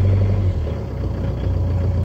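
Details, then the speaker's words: 2006 Peugeot Partner, about 191,000 miles, after fixing a crank/no-start BSI fault and clearing codes: deep, steady, even drone while warming up, no knocks or misses; normal warm-up idle. "do I have high revs you give the engine a chance to warm up first"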